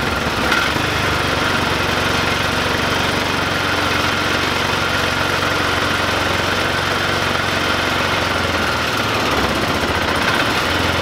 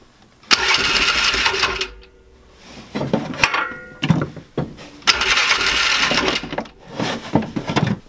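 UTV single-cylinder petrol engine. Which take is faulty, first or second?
second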